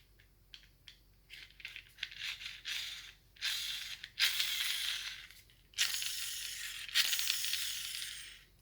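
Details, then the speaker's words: Gel blaster gearbox halves assembled, spur gear spun by finger: dry raspy whirring with faint scraping where the gear still touches; incorrect shimming, fixed by moving a 0.1 shim to the other side. "Sounds like there's still a little bit of touching there."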